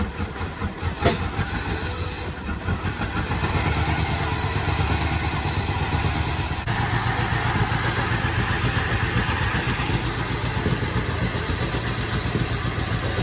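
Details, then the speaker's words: 1968 Suburban with 5.3 LS swap, after wiring harness replacement and exhaust fitted: uneven idle with sharp pops every few seconds through intake and exhaust; still backfiring and rough but running better. "uh the carbs still backfiring but overall it's running better"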